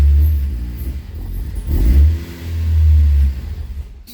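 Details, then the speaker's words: K24-swapped Honda CRX starts, surges twice under throttle, then sags and dies, and won't hold with the pedal down; it stalls immediately each time, and a software update is planned as a possible fix. "does not like that won't even let me hold the accelerator pedal down"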